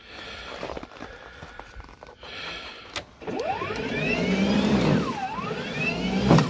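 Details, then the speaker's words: Ryobi battery snow blower on a fully charged battery in cold, dry weather, before repair: motor whine sags sharply whenever it meets even light snow, then recovers; static shock felt in the handle, and discharge onto the wiring was causing the slowdowns and stalls. "it does this thing where it seems to slow down when it hits any amount of snow at all"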